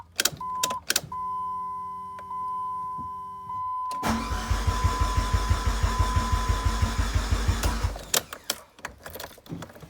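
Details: 2004 Dodge Neon SRT4 after replacing crank/cam and knock sensors, coil pack, plugs and wires and repairing wiring; door chime, then starter churns about four seconds without catching; cranks, no start, owner suspects a bad ECM.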